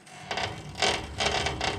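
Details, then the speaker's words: 2017 Woodland Mills HM130 sawmill, bandwheel turned slowly by hand while checking blade tracking: four separate bursts of dry scraping and clicking, about one each half second. Rough rubbing at the bandwheel; owner unsure if a bearing. "we don't want that that sound there doesn't sound good not sure if that's a bearing going in that side or what"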